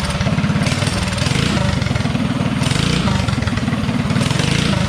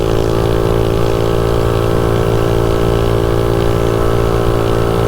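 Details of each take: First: DuroMax 208 mini bike with VM22 Mikuni carb, idle lowered with the slide screw, testing throttle tip-in: thumps along at idle, then stumbles and bogs briefly on opening; lean tip-in hesitation, needle clip to be moved down to raise the needle. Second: DuroMax 208 mini bike with VM22 Mikuni carb and 115 main jet, riding at wide-open throttle near top speed: steady high buzz, pitch even and strong, brief dip near the end; runs snappy and decent, though gearing feels short.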